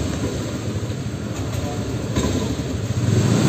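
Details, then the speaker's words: Honda Beat Pop scooter hard to start by kick or electric starter: low, lumpy, uneven putter that falters and won't hold idle. Cause found to be a damaged spark plug cap and spark plug. "kalau segera motor dihidupkan dengan menggunakan Kickstarter ataupun electric starter itu mesin susah untuk kehidupan seperti ini Cup"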